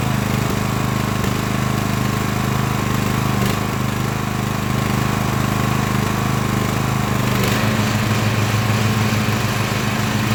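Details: Craftsman LT1000 riding mower after Briggs & Stratton engine swap, warmed up, test mowing tall grass with unsharpened used blades: steady governed speed under cutting load, even firing, no knocking, surging or misfire; healthy.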